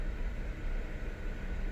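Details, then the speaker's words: BMW N54 with rough idle and check engine light: low idle rumble with an uneven, wavering beat; cylinder six shows very high lambda; injectors swapped (index 12) without help, plugs not changed, cause unknown. "so as you can probably see in here i have a rough idle n54 and cylinder six has a very high lambda reading"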